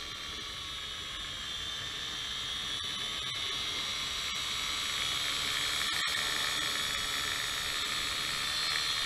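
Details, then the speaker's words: MJX X708W Cyclone quadcopter: steady high motor whir with fast light clicking about four a second, a sign of dirt stuck in the motor gears; removing the speck of dirt makes the sound disappear. Running on a 550mAh battery. "that little clicking noise. Yeah, that's a sign of some kind of dirt stuck in the motors, or the gears, that is."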